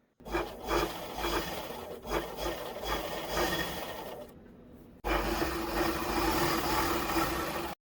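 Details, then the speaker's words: Zig-zag sewing machine test-stitching after needle timing set, needle checked and refitted, shuttle and feed dog cleaned, loose screws checked: two runs of fast, even stitching, no catching or knocking; stitching neat, noise, needle-breaking and skip-stitch problems cleared. "చూడండి, stitching చాలా నీట్గా next లెవెల్లో వస్తుంది. అంటే మన మిషన్లో ఉన్న problems అన్నీ క్లియర్ అయిపోయాయి."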